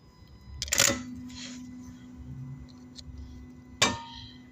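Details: Two sharp single clicks a few seconds apart with no cranking; starter clicking but not turning, symptom resembling a bad starter solenoid, found to be worn-out starter brushes.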